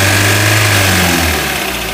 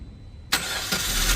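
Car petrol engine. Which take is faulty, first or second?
first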